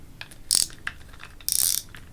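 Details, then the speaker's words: Burning Shark MG 7000 baitrunner reel, new braid spooled, main drag tested: two quick bursts of crisp, even drag clicks as line pulls, smooth and consistent with no catching; normal drag. "All right, so now that I got the braid on, see how the drag feels. On the main drag, feels okay. Pretty smooth, actually, surprisingly."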